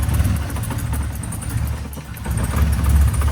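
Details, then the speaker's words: 1985 BMW E30 318i manual, sat 3–5 years, running with the fuel pump jumped and a blown muffler: low, lumpy wandering idle that never rises even at wide-open throttle; no throttle response, airflow meter suspected, not confirmed. "everybody I don't know why there's no response to the throttle I'm opening it wide open and it's not doing anything so that is really strange"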